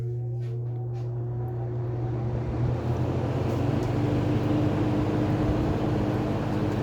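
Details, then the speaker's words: Early-1970s Kmart/Lakewood P-23 20" box fan with metal blades and a McMillan motor, started on high: a steady low motor hum that climbs a little as the blades come up to speed; a normal startup. "it has a really cool startup sound. And this thing moves a ton of air."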